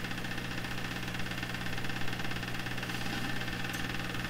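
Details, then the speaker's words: Canadian Marconi Model 93 tube radio under troubleshooting: steady low mains buzz with hissy crackle heard on the signal tracer. This is recurring shop electrical interference, source not yet found, that often comes through radios. "See, there's that interference that you often hear in my shop. I have not sorted out where it comes from. You're hearing it on the signal tracer."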